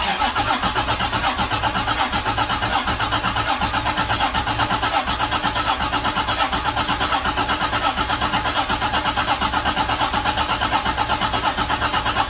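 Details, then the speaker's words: Rebuilt Toyota 7M-GTE engine with an electric water pump starts after final assembly and settles into a steady, even idle with plenty of oil pressure. The TPS was bumped during assembly and needs recalibration. "so i've just started up again but uh yeah straight away good times"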